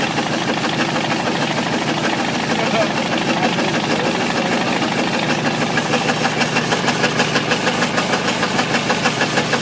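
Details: Ford 351W V8 with a spun rod bearing, abused: a hard, regular, deep rod knock about three times a second over the idle, while coolant sprays from a hose.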